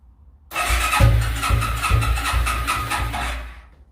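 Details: Suzuki Quadrunner ATV, not started in 10+ years, on full choke: catches after a long crank and stumbles into a rough, uneven run for a few seconds before the choke is eased; hard starting after long storage.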